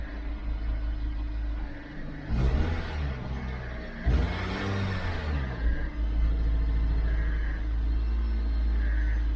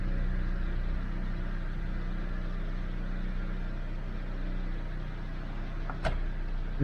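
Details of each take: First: 2012 Dodge Avenger in limp mode, check engine and lightning bolt lights on, not exceeding about 2,000 rpm, idling problems, throttle body suspected: two short throttle blips rise only a little and fall straight back to a low rumble; revs held down. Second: 2012 Dodge Avenger that had gone into limp mode, started after throttle body work: smooth, even low idle hum with steady loudness, no misses, surges or knocks, responding to a little throttle; idling normally.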